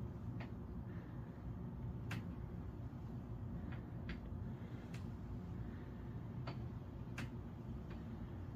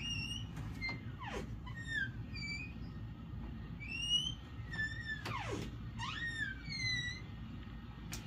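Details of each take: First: Door hinges after WD-40 lubrication; door swings back and forth with only soft thuds and light latch ticks, squeak completely gone, hinges quiet. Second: Interior room door before any WD-40 is applied: high, sliding, whistle-like squeals from the hinges each time it moves.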